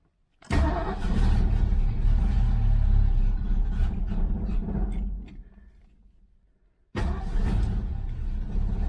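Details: 1970 Ford Mustang Mach 1 V8 on its second start after sitting a long time, with fresh gas in a temporary tank and a battery fitted. It catches and runs unevenly with a lumpy, stumbling beat, cuts out and restarts; rough running, cause unclear.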